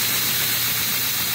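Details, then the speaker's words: Scratch-built KMG-style 2x72 belt grinder, just switched on: very smooth, quiet, no vibration, steady belt hiss over motor hum with no knocks or flutter; tracking works; running normally. "very smooth very quiet no vibration all you can hear is the belt going around pretty nice unit"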